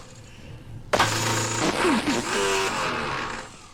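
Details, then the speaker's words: Car with a faulty electric starter, fault on the motor side rather than the drive side: a low groaning whirr cutting into rattling clatter without a clean crank. It needs repair or probably replacement. "This is a faulty electric starter. It's the motor side rather than the drive side, which is out of order."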